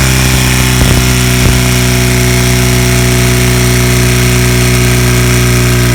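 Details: 1977 Kawasaki KZ1000 D6 (Z1) sidecar racer, first start after about 20-25 years' storage: steady idle on all four cylinders with a low, rough, lumpy, funky exhaust note and a couple of brief early knocks.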